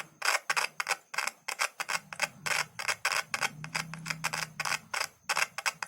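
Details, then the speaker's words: Audio speaker tested without multimeter or amplifier by touching a single cell to the terminals; sharp dry clicks about three a second on each contact show the voice coil is intact and the speaker works, though the cone may be torn or slightly stuck. "देखो, यह आवाज़ कर रहा है। ध्वनि केवल एक कोशिका से आ रही है।"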